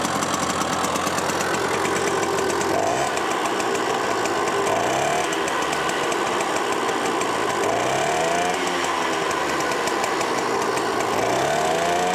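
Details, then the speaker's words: Green automatic two-speed Pappa Tunturi moped with centrifugal clutch, after carburetor cleaning: crisp two-stroke popping rising and falling cleanly with throttle blips, revs freely and evenly; normal running, jet adjustment still to do on test drive. "Yeah, now it seems like it should be left almost without putting the covers on and go for a test drive there and adjust the nozzle a bit so that it runs as well as possible."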